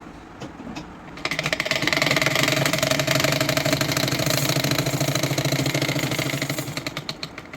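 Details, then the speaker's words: Sewing machine while stitching: fast dry rattling clatter, about three beats a second each stitch cycle, with bobbin thread not picking up; caused by loose bobbin drive rod and its nut. "Hi friends உங்க தையல் மெஷினும் இதே போல sound இப்படி கடகட கடன்னு sound கேட்குதா இதை வந்து நம்ம எப்படி சரி பண்ணலாம்னு பார்க்கலாம்"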